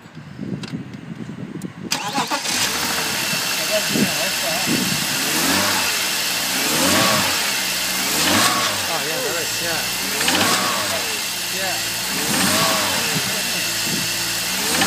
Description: Sound happens from cold on load 1500-2500rpm. 2 garages told me its piston slap and 2 told me it was c / Vanos. Noise seems to come from the middle/back of engine.